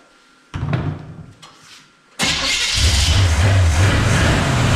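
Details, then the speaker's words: 1966 Chrysler Newport V8, sat for years, weak battery: harsh rough grinding as the wrong starter chews on the flywheel while cranking before the engine catches and runs. A different, correct starter later sounded perfect. "Maybe it's just a starter, but it seems to be cranking all right. Sounds like it's gonna run. Battery's not liking it. The starter is loud though, isn't it?"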